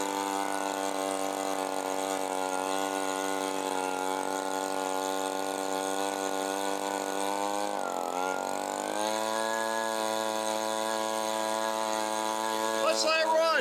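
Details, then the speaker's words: Echo PB-265L backpack leaf blower two-stroke after carburetor cleaning; holds a high steady buzz, dips and recovers, then sputters; no idle, runs only at full throttle with the screw turned all the way; owner suspects it needs a new carburetor. "All right. So, there's no idle. She'll only run on full throttle."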